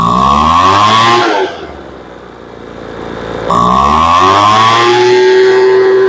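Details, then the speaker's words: Poulan Pro two-stroke blower that would not start after sitting; no fuel was drawn on priming and a carburetor air leak was suspected. Its carb L screw is being adjusted in 1/8-turn steps. It revs to a scream, but pickup after each blip is still lazy. "The motor screams. A little slow coming up. There you go. That sounds pretty good. She still comes up a little slow."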